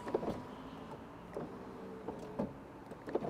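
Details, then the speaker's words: 2002 Alpina B10 V8S E39 Touring power window: quiet, irregular clicks and clunks about once a second with no smooth motor run, because the window regulator has failed and the window won't go up; it is taped shut. "doesn't want to go up so we need to fix this the right way with some ducky tape"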